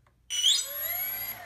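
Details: Brushless RC plane motor on an electronic speed control and lipo battery, after arming; clean whine climbs smoothly in pitch and holds steady with no grinding or stutter, normal motor spin-up.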